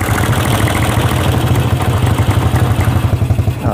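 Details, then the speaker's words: Honda CB/GL motorcycle, valves recently adjusted: uneven idle with fast, dry ticking from the left side of the cylinder head, louder when revved; worn camshaft and rocker arms found as cause. "untuk di bagian atasnya ada suara-suara kasar gitu ya dari sebelah kiri kita kalau kita gas rasanya gimana coba kalau kita gas malah kayak suaranya itu tambah Ya tambah kenceng"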